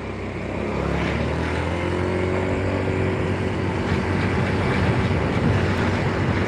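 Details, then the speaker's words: Scooter after an engine rebuild and new air filter, road test at full throttle: harsh coarse drone that climbs then flattens, tops out around 50, dies when throttle is released; engine setting problem suspected, not CVT, unconfirmed. "oke suaranya kasar sekali ya kalau lepas gas mati gas"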